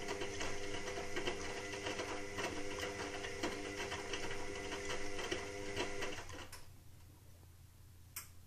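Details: Indesit WIXL143 washing machine: steady clicking, three or four a second for about six seconds, then silence. It stalls and doesn't finish its cycle. Stain removal, Easy iron and door lock lights flash. Fault unknown.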